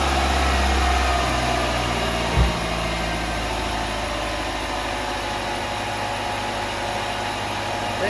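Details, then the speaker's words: Nissan Altima after replacing the spark plugs and camshaft sensor: steady, even idle hum with a smooth low beat and no misfire stumble, much smoother than when it arrived; normal idle. "Everything look good. It's running. It's a lot smooth than when it came."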